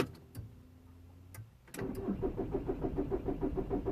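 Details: 2006 VW Golf Plus 1.9 TDI (BXE) diesel, cranking after clearing fault codes: starter churns steadily about three turns per second without firing; long cranking, no start when cold, camshaft position sensor to be checked next.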